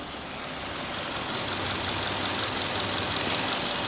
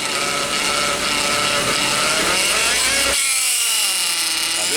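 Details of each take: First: Hyundai Veloster automatic transmission after fixing a clogged transmission filter that aerated and bubbled the fluid; smooth, steady run with even hiss and no whine, clunk or gurgle; fluid no longer shows air, gearbox sounds healthy. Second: Hyundai Veloster automatic transmission, oil last changed at 20,000: wavering cat-like whine climbing and dropping as the pump draws oil mixed with air; aerated-oil pump whine, transmission to be removed for inspection.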